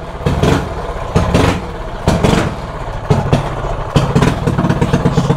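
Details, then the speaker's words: Mini bike single cylinder with a 105 carburetor jet fitted: surges in ragged bursts about once a second and stumbles between them; jetting far too lean, rough running. "y'all hear that so the jetting is way off"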